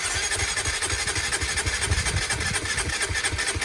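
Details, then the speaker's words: Honda CBR125 at 13,273 miles, long unused: even fast starter churn with steady compression pulses but no firing; cranks but won't start. "sounds good it's gonna go that sounds pretty good so i'm gonna prime the um the fuel pump a few times and that'll just force some petrol into the um into the engine"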